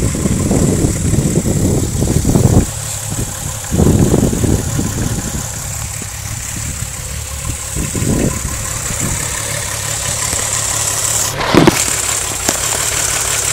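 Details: VW VR6 12V idling with misfire on cylinders 2, 3, 6 (mostly 3) despite new coilpack, plugs, wires, coolant temp sensor, purge valve; shaky idle with uneven skipping pulses and occasional louder stumbles, check engine light blinks; smooth when driving; cause unclear.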